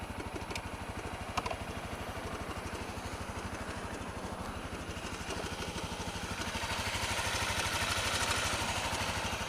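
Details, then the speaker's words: Honda CRF250L with EJK fuel controller, intermittent knock in first minutes of riding, at idle regardless of clutch: light regular tapping from the top end over the single-cylinder beat; cam chain tensioner backed off. "so it's very short live but it's um as you can hear if you can hear it well uh like I can it um it doesn't sound too pretty so it worries me it's definitely coming well it seems to from the top"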